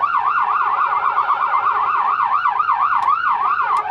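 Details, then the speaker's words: 2011 Leader ambulance siren on its T3 tone, a crazier version of yelp: fast, frantic warbling sweeping up and down about four times a second, clean and strong. The siren works normally. "which is basically a crazier version of yelp"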